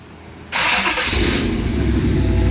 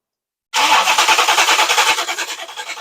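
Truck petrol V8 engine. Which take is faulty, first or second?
second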